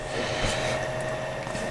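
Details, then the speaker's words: White Creative CD/DVD optical drive tested outside a machine, tray won't open: a thin steady mid-pitch motor whir with no tray clunk; the tray motor spins but a dirty band (belt) on the pulley system slips, and a whack opens it. "is the drive won't pop open. You can hear it making noise, but it doesn't always open."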